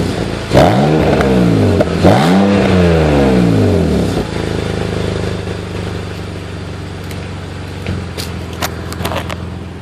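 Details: BMW 330Ci, M54B30 engine, cold start: two blips then lumpy cold idle with uneven stumbling beat and faint crackle; cold start misfire.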